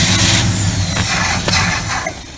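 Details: 1979 Chevrolet Malibu, long-sitting engine freed from seizure, plugs reinstalled: starter churns with dull, uneven chug but never catches; kinked fuel line starved the carburetor, first suspected fuel pump.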